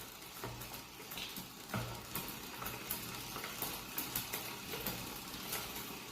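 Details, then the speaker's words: Bike pedalled on a stand while the cable disc brake caliper is trimmed tighter: light, repeating scrape and faint ticks each wheel turn as the pad drags on the rotor. "Alright, so there's just a little bit of rubbing right there."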